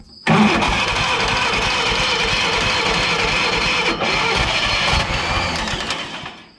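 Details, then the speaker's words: Old Yazoo commercial zero-turn mower with a 76-inch deck, sitting in a barn for years: a sudden catch, then a steady, even run for about six seconds before dying back down as the old twin first fires. "Oh, it actually fired."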